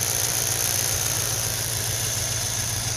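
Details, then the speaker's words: 1990 Ford Mustang GT 5.0 V8, testing the coil with a spark gap set to 30,000 volts: uneven stumbling beat with dropped pulses right off idle; misfire, cause not confirmed. "let's plug it on see if she'll even start little rougher [Music] still has a Miss and this is right off Idol"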